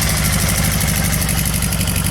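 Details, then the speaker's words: VW Beetle flat-four start after spark plug work: loud, lumpy, stumbling idle firing on two cylinders with only an occasional third; bad misfire. "Yeah, you hear it's two, and then once in a while it'll give you that third one."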